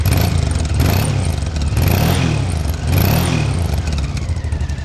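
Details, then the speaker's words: 1992 Honda XRV750 Africa Twin V-twin, just under 20,000 km, recently serviced, apparently original silencer, not fully warmed: a deep, even beat with a tweeting exhaust note swelling with each throttle blip, clean pickup and no knocks in the wind. Healthy revving. "Nice smooth engine. Reminds me of a Gold Star, got that tweeting exhaust note."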